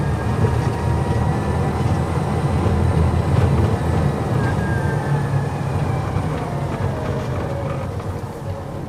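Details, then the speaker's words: Polaris Ranger XP Kinetic electric side-by-side, recorded in the cockpit while driving on hard-packed dirt: faint steady whine from the rear drive over low tyre rumble; noticeable but not extreme, a normal drive whine. "However, there is some engine whine. Listen to this. In this clip, I am attempting to capture the whine coming out of the rear end."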